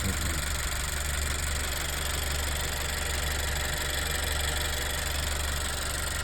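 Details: Turbo GDI EarthDreams petrol engine at idle with a light, fast ticking over the hum, before adding MotorKote/Marvel Mystery Oil. The ticking went away after treatment but later returned.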